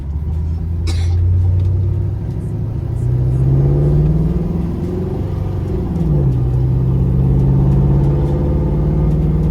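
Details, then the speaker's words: Automatic transmission replacing a previous 700 that couldn't do this: engine note climbs and drops cleanly at each firm upshift through first, second, drive and overdrive, no flare or slip; shifting properly. "Okay, it's shifting out though. Okay, overdrive done kicked in."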